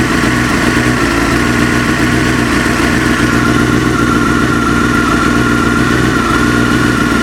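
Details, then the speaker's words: Engine knock at idle: irregular tapping about three or four a second mixed into a busy idle, getting quieter as the engine warms toward 40–50 degrees and nearly vanishing, slightly quieter with clutch pulled in; origin unknown. "прогревается, тем тише звук вообще становится."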